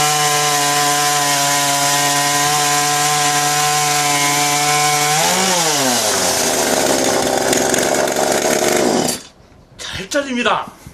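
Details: Kretec UDT two-stroke chainsaw running 25:1 fuel mix: holds a high steady buzz, then bogs and drops in pitch as it bites into wood, cutting cleanly. Normal operation under load.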